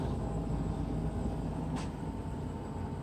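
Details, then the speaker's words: Lennox Pulse furnace, pre-purge motor replaced, front cover bolted back on: faint soft low rumble with gentle steady pulse, barely audible, noise mainly from buffer tube; normal quiet operation. "listen to how loud it is now that everything's put back together you can just barely hear it it's amazing most of the noise actually comes from this buffer tube when the system is"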